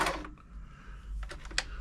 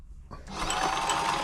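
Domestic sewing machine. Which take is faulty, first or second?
second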